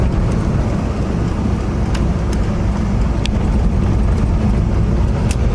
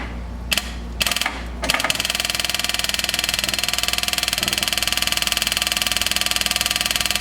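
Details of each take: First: 1979 Chevy G20 van, V8, first drive after sitting 35 years, block sealed and JB-welded, carburetor, distributor cap and rotor addressed: steady, even drone under road noise, no more popping or spitting. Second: 1979 Chevy G20 van, sat 35 years: electric fuel pump ticks rapidly with engine off but pumps nothing; suspected clogged fuel line or tank switch valve not passing fuel.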